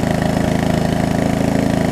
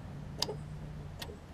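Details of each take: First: Murray widebody riding mower after sitting a few years, before the carb and fuel line replacement: it runs fast, then drops to an uneven, pulsing idle and struggles to stay running after a minute or two. Fuel starvation is suspected from constricted, seeping fuel lines. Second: Murray widebody riding mower after sitting for years, following valve adjustment and fresh oil, earlier hydrolock suspected: ignition switched on gives two crisp electrical clicks over faint hum, showing the circuit works before attempting to crank.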